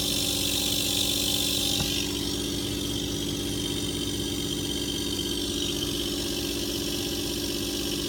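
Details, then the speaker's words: Engine-driven pump with bypass set to 60 psi, pressure rising from about 40 psi: steady running under loud hissing rush that builds then holds as the bypass engages. "so let's say let's say your system had 50 psi 50 psi better back pressure finish with a 60 psi bypass setting when you hit 50 psi or just past 50 psi [Music] you have bypass engagement notes"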